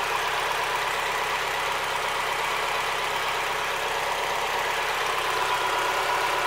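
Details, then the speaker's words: Mazda Miata, about 150,000 miles, after a Seafoam treatment for a returning lifter tick: even, smooth idle with only a faint valvetrain patter; lifter tick pretty much gone, cold start not yet checked. Normal idle. "the lifter tick is pretty much gone I won't know until I Colt started tomorrow but right now like it's running smooth it sounds good the idle sounds nice"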